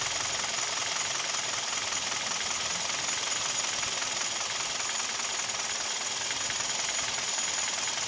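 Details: Kia/Hyundai G4KD Theta II petrol engine, recorded from inside the cabin: quick hard metallic ticking knock, three or four a second, over a hissy idle; owner suspects piston knock with vibration, also at 1500 rpm.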